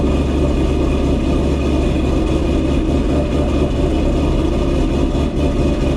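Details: Ford GT500 supercharged V8 back home after a long road trip, with a vibration and rattle found and fixed: deep, smooth, even rumble at steady idle with no knocks, misses or whine, a healthy engine.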